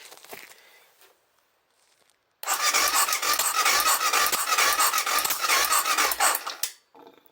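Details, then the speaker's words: BMW F650GS left standing five years, fuel pump and injector issues, carb cleaner used: cranking churns with a quick, fairly even clack three or four times a second from the bottom end; cause not found. "It's clacking a bit down the bottom for some reason. I wonder what that noise is down here."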